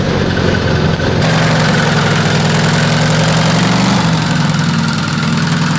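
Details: Custom V8 of eight Tillotson 212cc engines on a go-kart: uneven, stumbling idle with no crisp firing pattern; carbs set lean, engines breaking up, jetting to be retuned.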